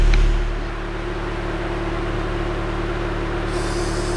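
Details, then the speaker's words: 1999 Honda Prelude at idle just after the factory catalytic converter was replaced with a Megan Racing test pipe, sealant still curing, in rain: a low, steady exhaust burble with no rattles or ticks and a faint hiss behind it; the exhaust idles normally. "all right so after like two and a half hours of fighting the car it's on it's not much louder at all"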